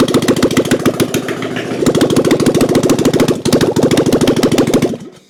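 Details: 1997 Harley-Davidson Heritage Softail Springer, sitting since 2002, just revived and oil now reaching the lifters: loud, lumpy V-twin beat through open pipes, steady and even at fast idle before shutting off. Normal running; pump not working, carbs still to be done.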